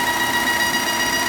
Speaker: And what happens is this diaphragm inside here deteriorates and it creates a very annoying noise to the point that you have to fix it.